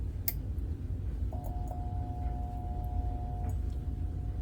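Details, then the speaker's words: Restored antique fixture with original ballast and wiring lighting an NOS Mazda Westinghouse F15T12 blue fluorescent tube: faint steady buzz as the tube strikes and holds, normal for the old ballast. "now you can maybe hear that that fixture you know buzzing a little bit on the startup and that's because when it comes to these fixtures and when I restored these I wanted to keep all original components in it as possible"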